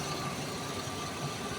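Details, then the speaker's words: Ford Explorer left sitting about 5 years, after two days of troubleshooting: engine now runs with a steady, even hum and no knocks, misses or surges; smooth healthy idle. "Okay andar na to solve na so Ayan Nabuhay na ulit bali 5 years na stock buhay na ulit ang"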